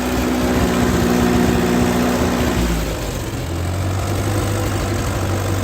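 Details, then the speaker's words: 1939 Ford 9N tractor running after revival, oil pressure showing; steady, even low thump at idle with no knocks or misses, settling slightly lower partway through; healthy engine. "You can't keep an 9N down, I'll tell you that."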